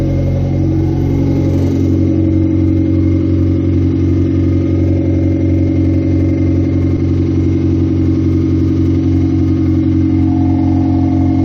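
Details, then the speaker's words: 1998 Honda CR-V running with open headers (no mufflers), around an oil pan gasket job and oil change: loud, deep, steady exhaust drone with even firing and no knocks or misses. Normal running with open headers. "whoa sounds good right for open headers"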